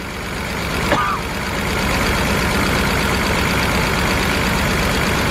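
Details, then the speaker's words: BMW 328i with misfire at rough, loping idle; disconnecting the cylinder 3 and 4 plugs brought no change, so two cylinders are dead; plug doubted, suspects bad injector or blown head gasket; fuel pressure gauge attached. "number four no change whatsoever we got an issue with three and four which is not good"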